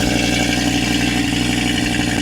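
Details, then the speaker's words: Audi RSQ3, auction car, low fuel, cold start: loud idle with steady high beat broken by a few uneven stumbles; sounds like a slight misfire, calming down after cold start. "It sounds a little bit like it's almost misfiring a bit, doesn't it?"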